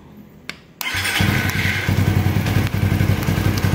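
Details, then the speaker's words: Suzuki FU150 injection motorcycle after repairing TA Racing high-pressure fuel pump, pressure about 3.5 bar: catches instantly, steady even single-cylinder idle with no stumbling or misses; normal start. "kita coba Nyalakan Nor motor normal Sip bisa sudah"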